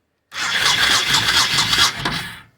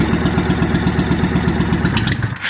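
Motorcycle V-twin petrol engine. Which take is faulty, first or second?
second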